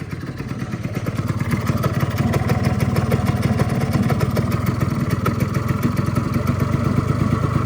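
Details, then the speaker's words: Honda Dio 100cc two-stroke scooter, first start after a rebuild with a replaced bearing: popping along at a slow, rough idle close to stalling; the idle speed is set too low and needs raising slightly. "ну чуєте звук який за малі обороти треба дати чуть-чуть чуть-чуть більш"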